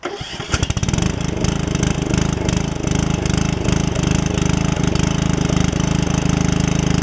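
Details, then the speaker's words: Customer's Troy-Bilt mower with a rigged RER deck, test run after reworking the deck so it won't eat the belt; catches quickly, steady even low thump, no knocks or misses; engine runs healthy. "all right guys i'll show you that everything's working like it should runs good it runs really good actually so at least i don't have to worry about that"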